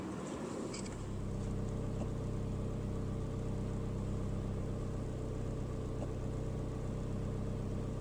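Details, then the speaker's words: 2001 Saab 9-3 SE Convertible High Output Turbo, idling with the accessory belt off: a steady, smooth low hum with no squeal, scrape or grind. The earlier noise is gone, so the owner suspects the water pump pulley was scraping the front cover. "the noise is gone I've got the belt off so pretty sure it's that water pump pulley in the front cover"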